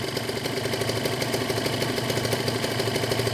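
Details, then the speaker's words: Warm 2013 Kawasaki Ninja 150 RR two-stroke, about 8 years old, idling stable at about 1000–1200 rpm: quick, crisp crackle holding steady without rise and fall; warmed up and evenly idling, owner allows slight possible connecting-rod play. "dan tanda-tanda motor sudah panas ke rpm nya stabil diatas 1000 itu sekitar 1206tg teratur ya sudah menaik itu temperatur yang sudah naik ya gan RPM sudah mulai"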